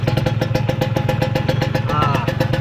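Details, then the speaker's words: Kawasaki Ninja 150 two-stroke idling rough with sharp raspy puffing pulses about eight a second, confirming the suspected exhaust leak noise. "Ah nyala juga oke dan benar dugaan gua suara bocornya kini siap"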